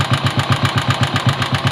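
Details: Motorcycle engine at idle with a rhythmic thumping at about seven beats a second and a sharp tick riding each beat; abnormal engine noise, cause not identified.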